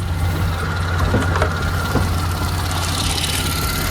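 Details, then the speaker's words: Mercedes-AMG supercharged V6 (upgraded intake, 82mm throttle body, 550cc injectors, 175mm crank and 65mm supercharger pulleys) idling warm after a short first cruise; steady, even, smooth low beat, no misses, a few light clicks, normal idle. "It's pretty smooth so far. Yeah, it's nice and smooth."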